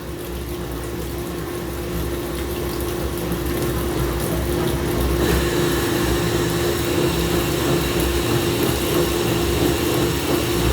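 Heavy steady rumbling with a constant hum and thumping at about three per second; the machine shakes abnormally, cause unclear.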